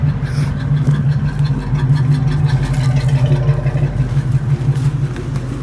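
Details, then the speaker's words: 1966 Ford Mustang V8 idling after starter wiring work, negative battery cable suspected bad or loose; steady even idle with deep rumble, no misses or knocks; runs as it should. "now that's how it's supposed to sound like"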